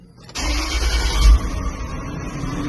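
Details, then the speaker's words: Land Rover Discovery 3 after fixing instrument cluster (IPC) CAN fault that blocked the immobilizer: immobilizer recognizes key, brief crank and the engine fires cleanly into a steady, even idle; starts normally. "Imobilizador. Ligou, acendeu, reconheceu, liberou o arranque."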